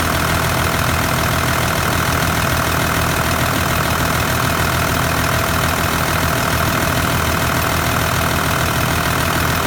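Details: Engine idling with a steady dry uneven rattle about three beats a second, from the Kinugawa CT26 turbo, along with white smoke; turbo failure suspected. Cause suspected, not confirmed.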